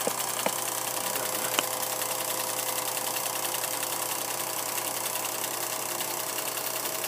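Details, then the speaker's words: Vintage Kodascope Eight 90 8mm movie projector from the 1950s with huge fan, projecting film: loud fast steady chatter over constant fan hum and mains drone; noisy but running normally, though the picture jumps a lot. "huge fan I'm going to turn it on you're going to hear it it's crazy noisy"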